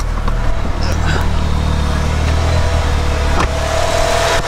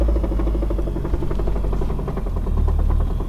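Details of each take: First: Car warmed up at idle after the Radium in-line fuel pulse damper install: steady low hum with a faint high tone, no ticking. Fuel-line oscillation gone; normal quiet idle. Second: Car idling before the Radium in-line fuel pulse damper install: fast, even ticking over a deep idle rumble, injector pulses carried through the hard fuel line hitting the firewall and other lines. Harmless fuel pulsation, nothing mechanically wrong.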